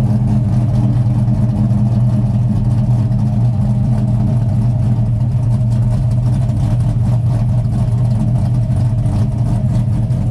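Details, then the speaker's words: Silverado with swapped L92 (LS3) from a 2008 Escalade, T56 Magnum and Texas Speed LS3 Stage 2 cam, some base tuning done; deep steady lumpy idle with even choppy rhythm, no ticks or knocks, healthy. "I'm sure everyone's in status here what this ls3 stage two cam sounds like so we'll go ahead fire it up here I have done a little bass tuning on this so we'll see what she does here"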